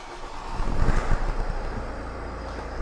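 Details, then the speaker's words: 2008 Renault Koleos 2.0 dCi M9R diesel, no-start with no fault codes. With the airflow meter unplugged, the ECU substitutes 540–550 mg/stroke and the engine cranks, fires and holds a steady clattery idle, proving the meter faulty. "engine runs now look at the air flow substitute value 540 550 milligrams per stroke so even though the airflow meter is disconnected the engine acu is substituting the value of the known good value and it's allowing the engine to run"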